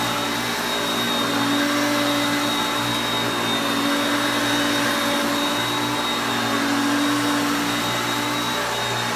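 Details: Hoover Concepts self-propelled vacuum on carpet. Steady, even motor whine at constant pitch, no surging, rattling or scraping; normal running.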